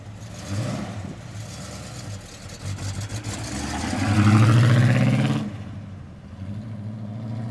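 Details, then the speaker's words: 1967 Pontiac GTO, freshly built 1967-date-code 428 V8, 376 HP, 4-speed manual, new MagnaFlow exhaust: low burble climbs cleanly in one smooth rev and settles back to even idle, throaty exhaust. Normal idle and rev. "And another thing I did forget, it's got excellent MagnaFlow exhaust, a brand new system on it."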